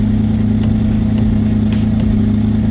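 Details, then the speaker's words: Twin-engine Mazda MX-3 idle being tuned by adding fuel until it cleans up: steady, even idle with a smooth low hum and no misses; fully clean idle. Leaning it further brings misses back. "Getting there. Now that's 100% clean idle for sure."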